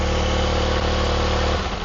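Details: Honda CBR250RR MC22 four-cylinder with a quiet exhaust, misfire test spraying start fluid into each carb: steady fast idle, revs sag sharply as the cylinder is flooded, so that cylinder is firing properly.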